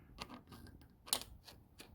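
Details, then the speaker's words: Subaru EJ255 engine from a 2006 Legacy 2.5GT with rod knock, disassembled: sharp metallic clicks as the cylinder 1 rod is pushed by hand, the only rod with play, bearing worn away; worn-out connecting rod bearing. "i can push it back hear that there is no freaking bearing left"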